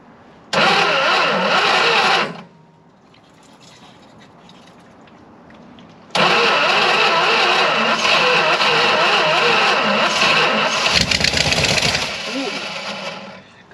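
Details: 1975 Dodge motorhome 360 LA Mopar V8, abandoned about 25 years, run on jumper wire with two-stroke fuel: fires and runs rough with sharp ticking puff each firing pulse; exhaust leak.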